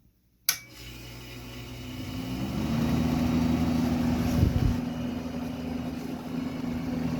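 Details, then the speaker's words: Vintage Eaton Viking dehumidifier with Tecumseh compressor and Electrohome fan motor with aluminium blades: low steady drone with an uneven shaking buzz underneath, about four pulses a second, from the unbalanced fan blade. "There is a bit of a vibration still, but it's just that fan blade is just so that whole fan just shakes so much."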